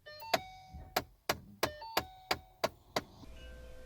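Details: Ford Mustang S197 dashboard popping when key turned on: sharp pops behind dash about three a second from A/C floor door actuator (part AR3Z-19E616-E) slipping on broken gear teeth; fix is replacing the floor door motor.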